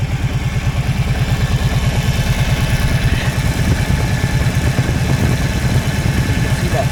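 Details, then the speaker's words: Kawasaki 650 Prairie (Brute Force) ATV being fixed for overheating; warm, steady single-cylinder idle thumping about three times a second with soft radiator fan whir as the fan cycles on; normal warm idle with cooling fan running. "if we let it sit for a few seconds here we should he we should hear the fan turn [Music] on cuz it's pretty warm right now"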